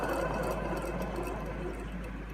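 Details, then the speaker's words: Old Chevy alternator removed while fitting a one-wire unit, spun by hand: a dry, gritty, uneven whirr from a worn bearing, while the new alternator is silent. "it sounds pretty rough new one can't even hear anything"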